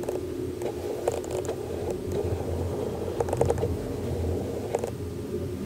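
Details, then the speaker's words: Canon RF 28-70 f/2 lens on EOS R: short bursts of whirring, grinding clicks as the autofocus motor hunts. "can hear that grinding right so I'm gonna plug this mic back nd I don't like alright so the 28 to 70 unfortunately also makes this noise"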